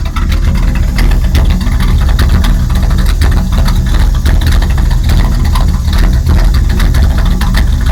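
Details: 1999 Dodge Ram 1500 5.9, intermittent rough idle only at idle out of gear: loud uneven idle with irregular stumbles and loud hissing from top of engine, smells very rich; cause not pinned down.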